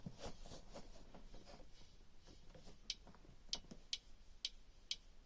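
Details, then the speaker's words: New alternator on a Beta Marine 38 narrowboat diesel, shaft turned slowly by hand while checking bearings for a tapping noise; quiet light ticks about every half second from the brushes, no bearing roughness. Normal alternator brush ticking. "What's that noise? That's just the brushes inside. That's a new alternator anyway."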